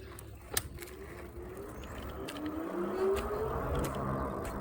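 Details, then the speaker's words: Philodo AWD e-bike with 22 Ah battery, ridden at about 13 mph during a range test: light ticks about three per second over rising motor whine, speeding with the wheel, from a piece of tape stuck on the tire tread, sounding like a flat. "It sounds like you had a flat or something."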